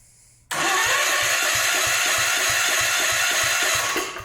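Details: Old Gravely engine cranked by the starter with even compression pulses about four a second but never firing. The spark tester shows no spark despite 12 volts at the coil; the ignition points are dirty.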